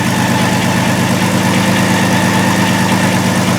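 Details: 2002 Volkswagen Jetta VR6 with P0262/P0206 injector circuit faults: loud idle with an uneven lope, roughly three stumbles a second; severe misfire from shorted injectors on cylinders one and six, confirmed by scope and amp clamp.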